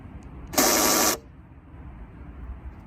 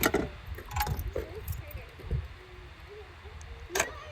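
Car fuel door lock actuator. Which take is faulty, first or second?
first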